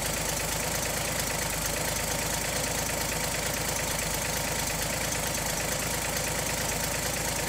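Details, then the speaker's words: 1959 GMC old six-cylinder truck after exhaust manifold work, fuel pump now pumping, idled down very low: slow, even idle with a steady soft pulse and no ticking or puffing from the manifold; running healthy. "One thing I love about these old six cylinders, I had a 50 Chevy with a 216. You could idle it down to like 300 RPM."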